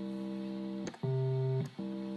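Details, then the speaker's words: Vox Continental organ, tone generator card for C after bias pot adjustment: steady chord, then the previously weak low C octave sounds clearly at full strength; other C notes still to be checked. "it's a good low octave note and we'll still need to check all the other notes for c to make sure that the adjustment is working"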